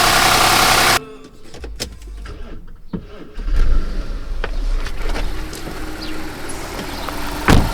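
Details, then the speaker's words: Audi A8 D3 after engine rebuild (broken head, bent valves, broken tensioners); catches and settles into smooth, steady idle with only light injector ticking; normal idle. "работает мотор слышно только как форсунка щелкает на камеру звук моторный слегка под закроем его вообще не слышно просто все великолепно"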